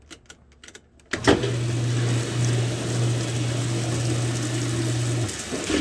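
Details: Washing machine with lid switch bypassed: steady low hum from the inlet valve with water rushing underneath; filling normally.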